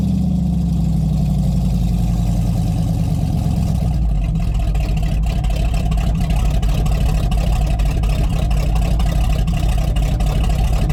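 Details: Rotted Chevy Squarebody truck with a 454 big-block V8, running with the fuel pump switch on and jumper cables. Deep, steady rumble with even firing and no misses or knocks; it sounds good despite a worsening hydraulic fluid drip.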